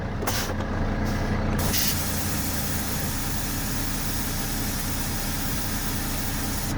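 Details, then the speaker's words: International truck air brake test: sharp hissing air bursts as the brake pedal is pumped over a steady idle, reducing pressure from about 120–123 psi to check compressor cut-in; normal brake application. "we're gonna press the break we're gonna going to just actuate some air"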